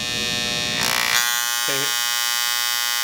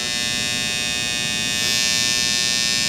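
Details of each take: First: Andis Styliner 2 trimmer, setting power adjustment screw on left side while running: high buzzing hum turns harsher with loose chattering as the screw goes too far left, blade rattles; turn back right until quiet for maximum power. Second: Andis Styliner 2 trimmer after power screw set back right until quiet, maximum power: smooth, even high buzz, steady pitch, no rattle; motor and blade running quiet and correctly set, normal.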